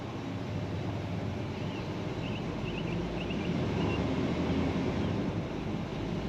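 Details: 2005 Dodge Ram 2500 Laramie 4x4, 5.7 Hemi on LPG, after clearing codes and reconnecting an unplugged sensor: steady, even low V8 rumble with no stumbles or misses; definitely a lot smoother.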